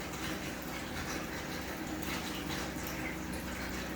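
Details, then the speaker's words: Single 2000 GPH bilge pump on a Kings 12Ah power pack for a highbanker, drawing just under 7 A at around 12 V: steady rush of water with constant motor hum, no surging or stalling, pumping normally. "Okay, so as you can see, we're drawing just under 7 amps, around 12 volts. This thing's going to fluctuate a little bit, but it's pretty steady there, 7 amps."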